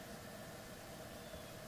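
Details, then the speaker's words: Garage heater finally running after a week of fiddling to get it working: steady even hum with constant mid tone and soft airflow, no rattles or cycling; normal heater operation. "the sound of success then one week one week of fiddling with this thing trying to get it up and running"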